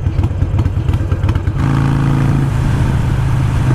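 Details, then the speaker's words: Harley Iron 883 with new external breather system, running a Vance & Hines Fuelpak FP3 AutoTune: uneven, loping "blop blop" idle with irregular thumps that stumble before settling. Rough idle, tune suspected. "Does sound a little different at idle. It's more like a blop, blop, blop, blop, blop, blop, blop."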